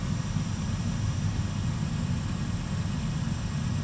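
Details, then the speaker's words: Oil-fired commercial boiler previously locked out on an E5 fault, now restarting after repair: pre-purge, pump running, nice blue flame, steady even low roar with no surging or popping; burner firing normally. "here we go starting to run does a pre Purge pumps going there nice blue flame in"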